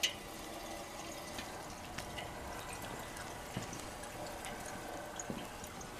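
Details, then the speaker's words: General Electric CK26 Monitor Top refrigerator, compressor running: soft bubbling, trickling, faint hiss and drips as SO2 refrigerant mixed with oil boils and vents from the float chamber discharge through a disposal hose, evacuating the compressor dome. "That's coming from the discharge on top of the float chamber and going out to a disposal hose. So it's evacuating the gas from the compressor dome. You hear the SO2 boiling, it's mixed with the oil."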